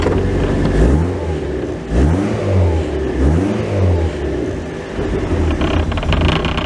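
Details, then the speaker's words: Honda Prelude after new head gaskets, exhaust refitted: repeated rev blips with uneven spitting exhaust pops, rough lean-sounding run; owner suspects a leaking top vacuum fitting leaning the mixture, unconfirmed. "this top things leaking I'm probably not getting is getting enough pressure in here and it's just leaning out that's why I probably why it's popping"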